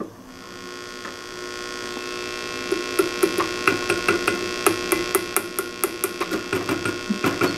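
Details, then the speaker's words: 6SL7 preamp tube, triode one, tested in a D-Lab Micronaut II microphonic analyzer; low steady hum, light taps stay short and dull with no ringing; normal quiet triode. "Triode one appears good."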